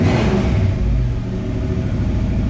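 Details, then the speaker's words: 1965 Ford Fairlane 500 with a 289 V8 and a newly installed Holley Street Warrior 600 CFM carburetor with electric choke: a short throttle blip, then the rumble eases smoothly back to an even idle of about 650 rpm in gear. It now runs well. "She dies down a little bit after you give it a little bit of gas. So we have her idling right around, like, in gear, it's about 650 RPM, so she's running good now."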